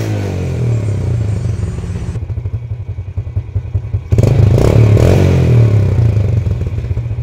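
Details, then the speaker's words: Yamaha Jupiter Z after a scrap-zinc-sheet fix for backfiring on throttle closing, with a good spark plug. Clean throttle blips with a full, even exhaust note, no longer "stereo" from the branched pipe, and no popping on the overrun. "diengkol suaranya sudah berbeda ini jadi nalpnya nya itu enggak seperti stereo ya Tadinya kan seperti stereo karena bercabang nah ini full keluar"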